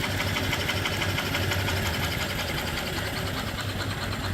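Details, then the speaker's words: 5 HP steam engine, 3-in bore by 4-in stroke, with flyball governor and oiler, running on steam from its boiler. Quick, steady, even chuffing at about three strokes a second with no knocks: normal running. "It runs beautiful."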